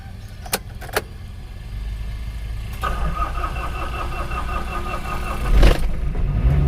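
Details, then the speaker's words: Mitsubishi L300 (Kuda) diesel that blows oil smoke (ngobos, oil consumption), engine run only about 4 km: starter grinds several seconds before it reluctantly catches and idles rough; slow hard start, suspected dead glow plugs or dropped compression, not yet checked. "agak lumayan ulet ya hidupnya itu nggak langsung tapi mobil starter ulet itu memang juga banyak faktor kalau L300 bisa dari busi pemanasnya mati juga menyebabkan ulat kompresi drop juga menyebabkan ulat"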